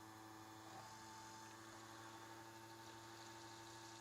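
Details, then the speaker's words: Restomod vintage Porsche in-tank fuel pump run on a roughly 13-volt battery: a steady, higher-pitched, slightly noisy electric hum with a faint buzz, yet fuel pressure holds at the same 2.75 psi from the adjustable regulator; normal pump operation. "higher pitch a little bit noisy actually but the exact same fuel pressure 2.75"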